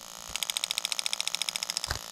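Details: New 1996-97 LS400 1UZ-FE non-VVT-i harness with standard ECU on a 3UZ test engine, microphone close to an injector (side with 8, 6, 4, 2): crisp even ticking around twenty clicks a second, nothing else running; injector firing cleanly on command, normal.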